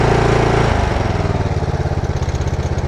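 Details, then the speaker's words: Mower with about 23 hours, under a year old, after dealer warranty work: drops from smooth high idle to lumpy low idle with loose uneven clatter, worse as it warms; it never used to clatter, cause unclear. "You'll start to hear it kind of clatter around quite a bit. And it did not used to do that at all."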